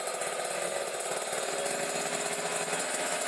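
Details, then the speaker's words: Kawasaki Ninja RR two-stroke, Mikuni 28 carburettor with the air screw fully closed and the choke on, revved through about 2000 to 4000 rpm: a dense, heavy, muffled buzzing. Over-rich mixture. "3000-4000 FM nah berat banget Oke jadi settingan basahi tubuh kayak gitu ya"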